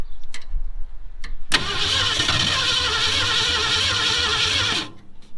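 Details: 1966 Mustang 289 V8 after sitting over 20 years: starter whirs, engine catches and runs a few seconds on priming fuel, then dies abruptly; not getting steady fuel, new fuel pump suspected, not confirmed.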